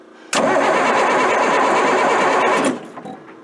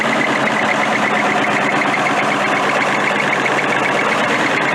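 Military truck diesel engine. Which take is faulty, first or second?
first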